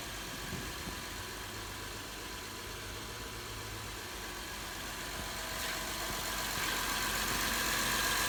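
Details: 2011 Honda Accord 3.5 L V6 petrol idling smoothly and evenly with no knocking over the steady hum.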